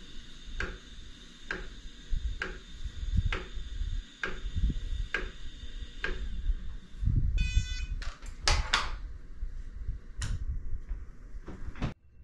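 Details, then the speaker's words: iOptron GEM28 telescope mount slewing at speed 9 on one axis only; the other axis is quiet at the same speed. Sharp, regular clunks about every second under motor whine. Owner suspects backlash spoiling PHD2 guiding calibration, cause unconfirmed: clunking while slewing. "so i'm left wondering if the noise i'm hearing while slewing might be causing the mount to create some backlash and maybe that's affecting phd2 guiding in an unusual way"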